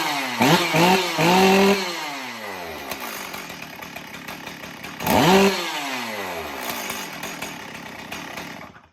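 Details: Stihl MS440 chainsaw built from two part saws, after retuning a badly out-of-adjustment carburetor whose needle was set about twice too high: revs crisply twice, then settles to steady even idle; running properly.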